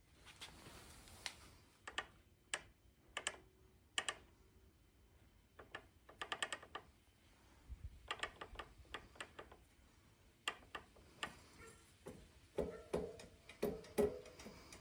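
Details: Specialized Levo Gen 4 Pro 3.1 mid-drive motor, cranks turned backwards in a quiet room: irregular light ticks and knocks, which Specialized considers normal and not an issue.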